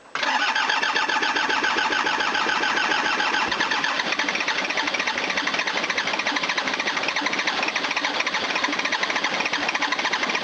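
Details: 1980s Toyota Hiace diesel van whose injection pump seemed not to work: starter cranks evenly but it won't fire because of air in the fuel lines; owner may need to crack the injector lines to bleed it; no-start.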